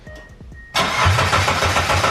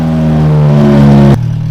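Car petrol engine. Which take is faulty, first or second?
second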